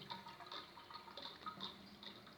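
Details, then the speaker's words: Toilet cistern refilling: soft trickling water with faint, wavering high whistles coming and going as the tank fills; the fill valve is noisy, cause not yet found. "Bom, gente, esse é meu primeiro vídeo e eu quero mostrar para vocês por que a caixa d'água faz esse barulho e como resolver."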